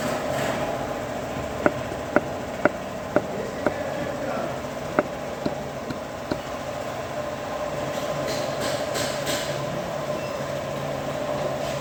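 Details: Hyundai Solaris engine: steady hum carrying sharp knocks about twice a second for several seconds before they fade; knock, cause not yet pinned down.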